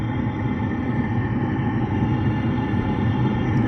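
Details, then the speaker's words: Newly installed Velpax diesel heater on a Ford Transit van, heard at its exhaust outlet: even, low rumbling exhaust note with no surging, misfiring or knocking; burning steadily and running fine. "as you can hear, the diesel heater is now pumping out lovely hot air from the exhaust."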